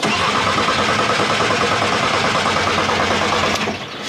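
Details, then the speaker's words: Bus engine that died on the motorway after about 10,000 km, with a charged battery: fast even starter cranking about three beats a second without firing; owner suspects a fuel supply problem rather than bearing damage. "Du coup, ça tourne très vite. La première fois. Bien. Cela signifie que le moteur ne l'est certainement pas. Pas réparé. Mais il ne fait pas semblant de commencer."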